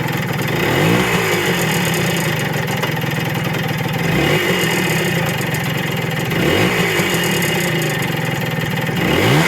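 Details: Kawasaki motorcycle engine idling and blipped, with a rough knocking through the mechanical clatter; owner says it only happens sometimes at low RPM.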